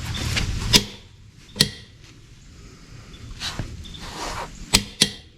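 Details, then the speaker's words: Lug nuts on the front wheel of a Case IH 75C tractor being torqued to 150 ft-lb after a flat tire repair: several short, sharp clicks as the torque wrench breaks over at its set torque. "that's the torque that one's torque that one's good"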